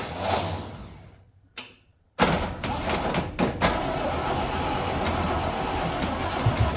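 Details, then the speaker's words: 1968 International 1200 pickup parked over 15 years cranks with a few irregular pops and coughs but never catches; the owner suggests new spark plugs would probably help. "no sounds like it's popping oh yeah it' probably help people put plugs in it"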